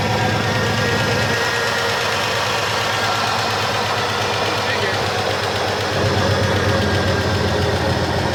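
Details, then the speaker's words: An abandoned 1984 Ford F-150 gas engine, first start in ten years after a battery charge and on old treated gas in the tank; a steady, loud, even idle with no misses. "Well, she will definitely vroom. Yep, she runs."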